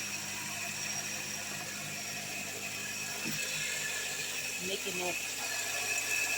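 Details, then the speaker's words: Hyundai Sonata that had not been started in a while, jump-started: a tinny rattle and squeak ratchet unevenly over the idle at first, then go away. The belt tensioner and tensioner pulley were replaced. "okay so this car has a squeaking noise like a rattling sound noise so it hasn't been cranked up in a while"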